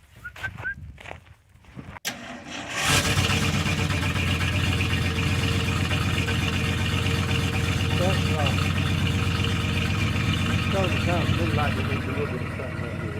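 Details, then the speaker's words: 1973 Ford F-350 dump truck: after a pause the starter churns at about four even pulses a second, low and laboured; the cranking sounds weak. "it sounds like it's weak or something"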